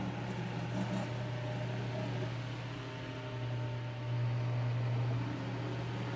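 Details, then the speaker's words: McGraw-Edison Eskimo 1005/1005R 55 W, 120 V fan: steady motor hum swelling midway with faint light buzz and slight rattle; something loose, owner checks a screw, front badge needs tightening. "Let's see if is this screw loose, or what's making that? What's loose about it? Sounds like something's loose in there. Of course, the badge is gonna have to get corrected."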